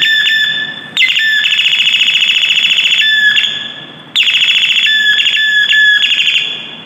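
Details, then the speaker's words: Doorbell after replacing faulty 330µF/25V circuit capacitor (distorted, cracked sound before): clean electronic chime repeating about every three seconds, clear and undistorted with no crackle; repaired, normal. "यहां पर capture करने से इसका जो फटी हुई जो आवाज आ रही थी बिल्कुल फटी हवा चली गई अच्छी तरह से आवाज आ रही है है"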